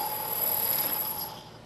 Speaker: turning long thin parts such as this one can be a problem due to the deflection of the part due to the cutting forces produced by the tool i'll show you what that looks like and sounds like if i try to take a pass this part you can hear the noise the chatter